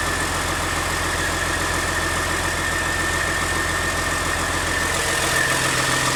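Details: CAT C13 diesel after rebuild for destroyed camshaft, lifters and general wear: steady, even idle with a smooth low pulse and no knocks or misses; normal idle.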